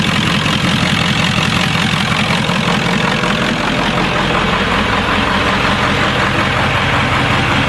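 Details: 1996 Ford F-350 7.3L Powerstroke V8 diesel, first test start after converting from the stock mechanical lift pump and fuel bowl to an electronic frame-mounted fuel pump; steady, even clattery idle with no misses; no leaks, running normally.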